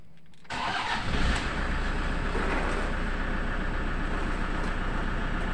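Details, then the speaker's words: Toyota Innova 2KD diesel, previously crank no-start from low rail pressure, now reaches about 29,000 kPa and starts almost at once, settling into an even idle; starts easily after the fix. "mesinnya hidupnya sudah sudah gampang"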